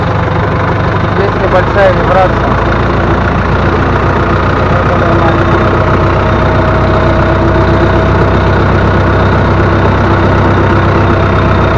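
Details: Loader tractor diesel that had a vibration, started after loose, half-unscrewed pump bolts were retightened and oil added: steady, even idle with a smooth low drone and no knocking or rattling; normal idle after the fix.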